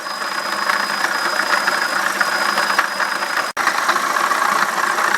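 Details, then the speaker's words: BMW E65/E66 idling: thin, steady high-pitched squeak from a worn water pump bearing, with a slight pump wobble; the squeak persists with the fan unplugged, ruling out the fan clutch. "okay fan is completely unplugged and I'm still hearing the squeak so it's definitely the water pump bearing"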